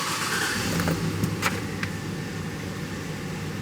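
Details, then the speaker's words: 2007 GMC Yukon 5.3 L V8 after the misfire, shaking and stalling repair, started in clear-flood mode. It idles steady and even with a smooth rumble and no misfires; an unrelated knock sensor code remains. "beautiful Idol and no misfires"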